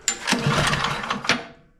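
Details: Bolens snowblower small engine, customer already did carb and intake gaskets, plug replaced: pull-start cracks and pops irregularly, never catches, spark tester reads low (likely flooded). The cause is an intake valve stuck open.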